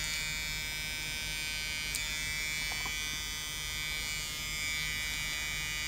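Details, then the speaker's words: Floppy drive of an old Toshiba Satellite Pro CDT440 laptop, opened, disk inserted and accessed: steady high-pitched motor buzz, no spin-up. Belt appears only to vibrate, not spin. Slipping drive belt that seems to need tension. "it's very hard to see if the actual belt is spinning or not i don't think it's spinning i think it's only well vibrating"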